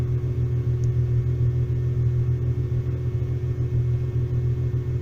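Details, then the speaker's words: VW T3/T25 Vanagon with Subaru H6 3.0 swap, after hot restart: steady, even low rumble with a regular beat and no misses or knocks; idle normal. "And the idle's doing what it's supposed to do. So, all as it should be."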